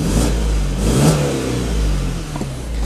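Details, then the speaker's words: 2005 BMW 120i petrol with 91,000 km, held at steady raised revs: an even, unbroken low drone with no misses or stumbles. Runs smoothly; normal. "If I hold it there, you'll see it doesn't miss a beat. Beautiful cars, they're very chirpy, they handle wonderfully."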